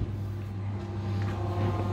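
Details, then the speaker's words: Electrolux washer-dryer in manufacturer test mode, drying step testing the dryer box fan (DC 300 V five-wire motor): soft, steady low hum with a faint even whirr and no rubbing or rattling, running normally. "tiếp theo drying thì nó sẽ test cái các bạn sẽ đợi một lúc là các bạn sẽ nghe thấy là cái quạt của cái sấy nó chạy"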